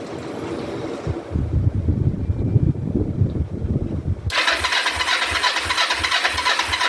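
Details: 2004 Kawasaki Vulcan 500 stored two or three years, float bowls just reassembled, petcock on prime: starter cranks in steady low pulses for several seconds, then a hiss, never fires; cranks but won't start, cause not confirmed.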